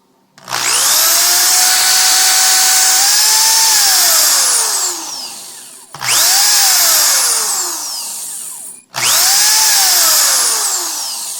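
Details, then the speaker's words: Power drill squealing shrilly with a high-pitched whine at the end of each run, from dirty carbon brushes; cleaned by sanding the brushes and reinstalling them, after which it worked like new. "a little uh high pitch noise that sound that's uh the brushes in here telling you that it's probably time for a change or a cleaning"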